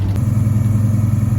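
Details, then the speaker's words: Monte Carlo with small-block 350 and TH350 transmission, driving, recorded from underneath; quiet, deep even low rumble with steady beat, no knocks or ticks; engine cruising smoothly and healthy, though transmission is considered done. "you guys listen to how it's quiet it is up under here you can barely hear the car y'all"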